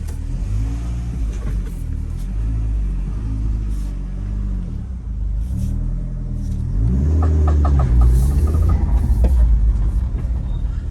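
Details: Land Rover Freelander pulling away from a junction on full steering lock; engine rumble with sharp clicking, about three a second, from front right; caused by worn driveshaft CV joint, right IRD bearing also had play and oil leak.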